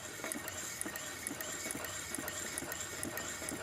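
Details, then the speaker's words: Homemade Maytag single-cylinder upright engine built from two-cylinder Maytag parts, heard from above with the flywheel on: faint, light, even clicks about two per second over quiet running as the ignition micro switch works normally. "there's the micro switch down there and you if if you listen real carefully you can hear"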